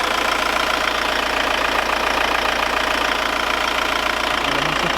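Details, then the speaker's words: Audi convertible diesel at warming idle after thermostat opened, lifters now primed: even, steady normal diesel clatter with no abnormal top-end ticking. "Et je vais te faire écouter le bruit du moteur, il ne claque plus du tout. Avec la claque normale, c'est un diesel."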